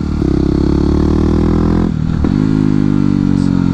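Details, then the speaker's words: Yamaha WR250X supermoto single, no slipper clutch: steady thump, quick rev-match blip on downshift, then clean even pull with no rear tire screech; smooth rev-matched downshift. "like this, a crisp engine noise downshifting is all about being smooth try to prevent any sudden movement that upsets the bike or it might cause handling issue"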